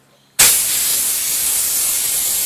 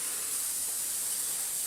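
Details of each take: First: Small air compressor after a temporary pressure switch diaphragm repair using bicycle inner tube: a sudden sharp hiss of air starts and holds steady with no sputter or chatter, so the switch releases pressure properly. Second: Small air compressor not holding pressure: steady high, thin hiss of escaping air with the motor not running, from a split rubber diaphragm in the pressure switch.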